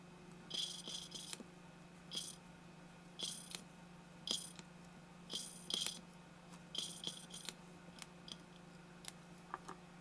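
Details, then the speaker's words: Mitsubishi Eclipse 420A engine valve lapped by hand with coarse grinding compound and assembly lube on the stem: soft, smooth scraping strokes in irregular bursts about once a second, grinding fading quieter as the valve seats. "you can hear the grinding when I get it right then it goes away you just did you see it turning to a quieter saw a quieter sound like"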